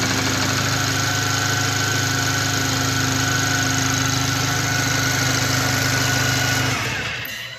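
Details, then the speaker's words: 2017 VW Golf R (MK7), towed in with the low oil pressure light on; hard knock under idle about four per second that worsens with the clutch pressed; crank thrust washer pieces and metal shavings found in the oil pan: crank thrust washer knock. "So, after checking it out, we actually pulled the pan down and found a piece of the thrust washer for the crank in the bottom of the oil pan with other pieces of metal shavings."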